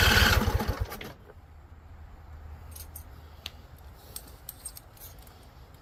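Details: Husqvarna Z254 mower engine, after a PTO clutch install, a no-spark finding and a new NGK BPR5ES plug. It catches on carb spray with a loud ragged burst, then fades to a faint hum and dies within a second. Possible fuel starvation; owner suspects flooding or a non-venting tank.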